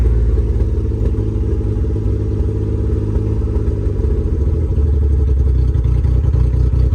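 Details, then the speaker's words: Subaru Justy, carbureted, true cold start at about 30°F after sitting outside two weeks: loud, deep, choppy tractor-like thrumming idle with raw uneven pulses, from open headers with no exhaust fitted. "There it goes. It's idling. Sounds like a tractor. Open headers, no exhaust."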